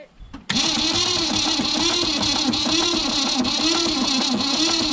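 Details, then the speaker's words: 1965 Ford Falcon wagon, 200ci Thriftpower inline six, sat over 25 years in a yard: starter spins steadily with an uneven rise and fall each revolution, catching a high spot, never fires; owners suspect stuck valves or something wrong in the engine. "there's something right in the motor it might be stuck valves i wouldn't be surprised because it just says it when you when you hear turnover yeah that's what doesn't sound good on it"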